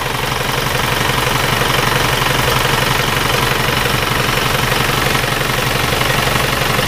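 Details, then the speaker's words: Red Panther diesel, pre-2000 engine, repaired with used liners, injectors three good and one weak, injection pump not serviced: steady idle with even clatter about four beats a second and slightly harsher edge than the new-liner engine; rough idle. "ini kalau menurut pendengaran saya mesin ini suaranya agak sedikit lebih kasar daripada"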